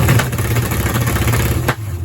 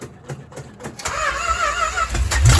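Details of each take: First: Charger with a low-deck big-block Mopar, factory electronic distributor and new MSD 6AL box, rev limiter set at 2,000 rpm: the engine climbs, then stutters and pops in ragged bursts as the ignition cuts. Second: 1970 Dodge Charger big-block Mopar with MSD 6AL box and repaired electronic distributor (pickup cleaned, filed, gap reduced): brief cranking, starts first try into steady deep even idle; timing slightly advanced, needs a little retard.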